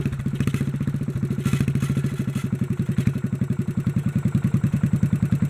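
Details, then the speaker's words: Governor work on a 1957 Bolens engine: fast, even single-cylinder chugging at about three and a half beats a second that won't drop to idle even when throttled down; governor suspected not working. "feels like the governor's not working yeah even if i throttle down it don't get to idle"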